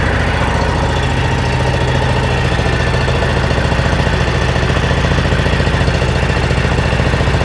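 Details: Salvage-auction Mule side-by-side, small engine, after reassembly: steady, even putter of about three to four beats a second with no stumbles, no leaks; healthy idle.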